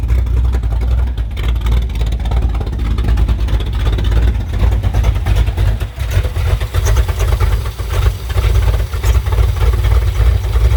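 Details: Car with Summit Max E5500 fuel injection kit after replacing a faulty injector (part 193300545-3): fires, settles to even idle, revs up and down smoothly, no misses or knocks; all four injectors working.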